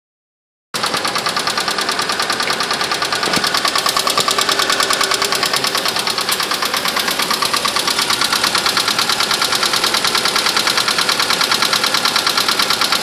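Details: Mirage petrol engine at cold idle in winter: a steady, hollow knock of about three beats a second over a hissy running sound. It goes away once warm and never happens in summer; the owner suspects piston slap.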